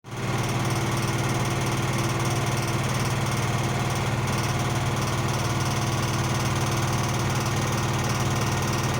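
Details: Blomberg washing machine during the spin cycle, with a loud, steady, engine-like rumble and a fast rhythmic throb throughout. Warranty repair was requested.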